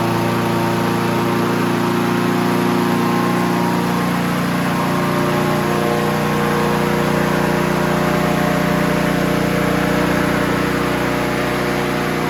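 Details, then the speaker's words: Honda HR17 push mower, year unknown (owner guesses early-to-mid 80s), flathead Honda engine, blade clutch cable still a makeshift repair: steady even drone at constant pitch, no misses or knocks; normal running after revival. "so there you have it Honda you cannot kill these machines HR 17 lives again"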